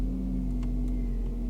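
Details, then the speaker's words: Heated windscreen on a Ford Focus Mk1 gives a steady low electrical hum and faint buzz. The original screen works fine despite a stored heated-screen relay short-to-ground fault code, whose cause is still uncertain. "yep heated Screen Works absolutely fine nothing wrong with that and that's the original screen"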